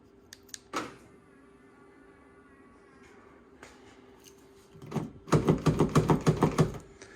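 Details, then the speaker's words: Ford Fiesta Titanium, door swapped on with the wiring plugged back in, locks being tested: a quick burst of crisp clicks and clunks as the actuator locks. This door locks properly, normal actuation. "but at least this one yeah you can hear it locking as well"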